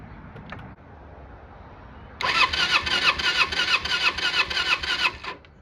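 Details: 1995 Kawasaki Eliminator EL250 motorcycle, off the road for years with minimal miles, cranks with a quick, even starter whirr at about three turns a second for roughly three seconds but never fires; plugs spark weakly off the electrode, owner suspects spark plugs.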